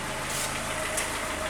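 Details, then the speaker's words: Audi 80 engine at idle: low, even murmur with no misfire, only slight ticking on the camshaft; quiet, distributor rotor still due for replacement. "тут шень тільки чути там трошечки Куличків на розпридвалі але дивіться як тихосенько"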